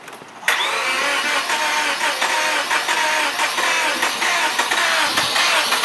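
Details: Car sat about 6 to 9 months; its 5-year-old battery, once at 0.75 V, was revived by charge/discharge cycles. Engine catches abruptly after a brief crank and settles into a steady, even idle without misses: starts and runs normally.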